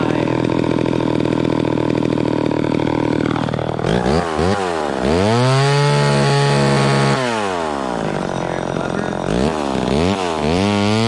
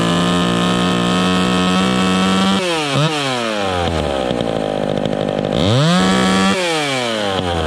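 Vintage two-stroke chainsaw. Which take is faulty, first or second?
second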